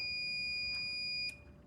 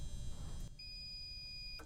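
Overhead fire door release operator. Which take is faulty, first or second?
second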